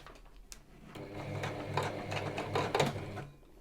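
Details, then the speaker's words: Sewing machine running after cleaning, set to straight stitch: uneven clattering with irregular knocks instead of a smooth stitch beat, fabric trying to move but not feeding through; cause unclear. "nope and that was a bad sound hmm well i did clean it"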